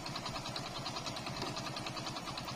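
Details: Hero Splendor Plus motorcycle that had fouled black plugs, black smoke and misfiring, after idle mixture adjustment: even, steady single-cylinder beat with light top-end clatter, no stumbling or missed beats; black smoke reducing; normal idle.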